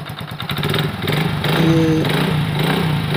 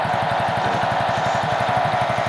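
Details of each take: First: Hero Honda Super Splendor after engine reassembly, previously noisy clutch bearing: single fires up and settles into a steady, even putter with no whirring or rattling from the clutch side; runs healthy. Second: Hero Honda Super Splendor motorcycle at idle: rapid even ticking about nine times a second with a thin whirring squeal, from a worn bearing on the clutch side, the clutch pressure-plate bearing.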